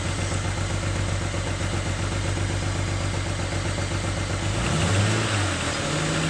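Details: BMW N54 engine running rough: lumpy run with an uneven low thump about four times a second and a brief rev near the end; a misfire.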